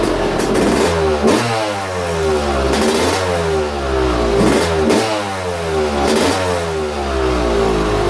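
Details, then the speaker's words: YZ250 two-stroke after top end, higher-compression 5UP head, on 60% race fuel/40% pump gas: several sharp rev rises falling back to steady idle, clean throttle response, no misfire; healthy. "And with that 5UP head on it, it's going to sound a little better. A little higher compression head. Well, definitely got more compression."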